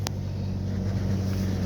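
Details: Ford Escape 2.3L, previously hard starting and stalling as if starved of fuel, after fuel pump replacement: low, even idle with a steady rumble and no misses or knocks; engine running smoothly.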